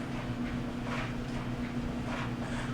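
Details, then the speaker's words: GE DCVH515EF0WW dryer after replacing the upper bearing WE14M124 for a squeaking drum: a steady drum rumble with a soft even hum, no squeak or screech; the dryer is running quietly and normally. "we've got no squeaks so that's going to complete our repair"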